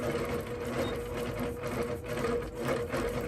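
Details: APQS longarm quilting machine in stitch-regulated mode with Quilt Glide off, speed and stitches turned low, doing small meandering. A quick, even stitching whirr ebbs and flows smoothly with hand movement. Normal stitch-regulated running.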